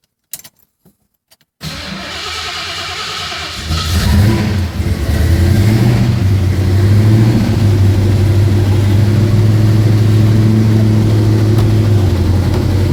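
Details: 1972 Mustang Mach 1, rebuilt 351 Cleveland Cobra Jet V8 (roller rockers, forged pistons, 10.5:1, Holley 650 carb, Flowmaster duals) after rebuild; fires at once, lumpy idle, then revs cleanly and holds steady; normal cold start and revving.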